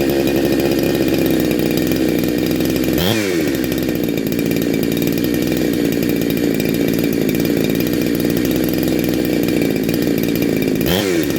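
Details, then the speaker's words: Neo-tec NH872 chainsaw (372XP clone) with big bore kit, cold start on a later heat cycle, about 22–25°C: strong, steady two-stroke buzz with two crisp revs rising and falling cleanly, no misfire or bogging; healthy. "oh oh r one all sound awesome absolutely awesome"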